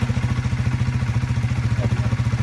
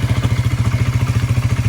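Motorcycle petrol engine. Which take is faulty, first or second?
second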